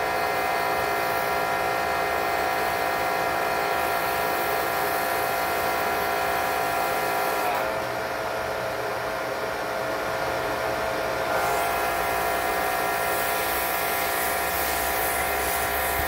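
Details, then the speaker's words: Electric Kärcher pressure washer with foam cannon humming and spraying evenly, no pulsing or surging, after drilling the foam cannon nozzle orifice out to 1.5 mm to raise flow. "I would say that's working pretty well again that was a 1.5 millimeter so really generally a simple fix"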